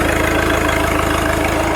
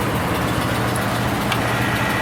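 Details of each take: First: Cold-weather start of an old New Holland with a Wisconsin engine (not the original motor): firm, steady idle with an even rapid pulse, no misses or tapping; running clean and healthy. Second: Cold start of a machine with 579 hours, sticky starter and jumper cables on a battery that goes dead when sitting, added fuel pump: steady even cranking drone but it never fires; cranks, no start.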